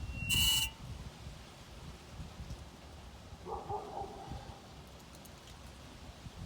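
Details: 2014 Ford Focus, engine off for a couple of hours: intermittent harsh buzzing grind, then fainter groan, from under the front passenger side; car also drives poorly with jerky gear shifts; cause unknown.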